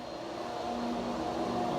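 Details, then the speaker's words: Dyno water pump cavitating while filling the dyno tank, before a run of a 2006 5.7L Hemi turbo test engine: steady pump hum with a rough, fizzing rattle on top. "You can hear the noise. Pump cavitation."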